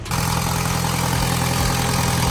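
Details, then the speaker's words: MK1 Audi TT turbo restarted after rocker cover gasket job with RTV left to cure 2.5 hours, something reconnected: catches right away and settles to smooth, even idle with no knocks or misses; normal idle, though an existing exhaust blow is noted. "yeah yep that sounds smooth enough looks good to me"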